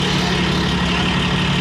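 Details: Komatsu D155A dozer diesel: steady low drone at idle with no misfire stumble or knocking; normal idle.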